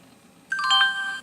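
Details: NEC Versa 6030x laptop (Pentium 133, 16 MB RAM, 1443 MB hard drive) at boot: clean multi-note startup chime under a second, no buzz, rattle or distortion; the speaker works fine.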